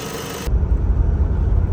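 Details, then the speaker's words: Great Wall Hover 4D20 diesel after head gasket and scored-cylinder repair. A cylinder-2 error put it in limp mode until the injector was cleaned; now a deep, even rumble under light driving with no knock or miss, running smoothly. "Ну собственно форсунку почистили завели сейчас мотор работает ровно хорошо"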